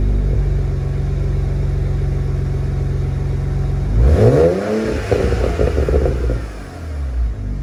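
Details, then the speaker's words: BMW E90 335i with an aftermarket VRSF cat-back exhaust, after fixing the 3.5-inch mid-pipe that rattled against the rear crossmember plate: even burble at idle and a clean rev with no rattle; the exhaust sounds normal. "before if i just tapped it you would just hear it just rattling through the whole car so hopefully now there aren't any unusual vibrations"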